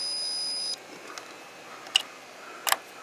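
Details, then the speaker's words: Multimeter on continuity setting while testing interlock switches on an early-1990s Honda Harmony 1011 riding mower: steady high beep for about three-quarters of a second, then faint clicks; circuit closed. The mower's fault was a corroded, broken terminal. "so to test these interlocks because you never know what the problem could be so we go over here to continuity where you hear that"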